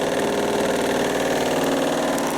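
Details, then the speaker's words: Washing machine in test mode on spin with one slightly damp towel: steady spin drone with dense, rapid, continuous knocking; horrendous drum banging, cause unknown, machine not balanced. "One towel is slightly damp, and well, there's horrendous banging still down here."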